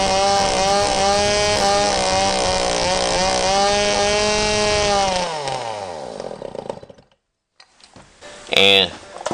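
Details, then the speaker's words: Old Stihl 009 chainsaw after carburetor cleaning, held at full throttle while setting the high-speed screw backed out slightly past the middle: high pitch wavering with a light burble, then dropping away; high-speed mixture just slightly rich. "I bring it to the middle and then I adjust it out normally just a little bit and tell I hear it's got a little bit of a sputter so I know that it's running just a hair rich"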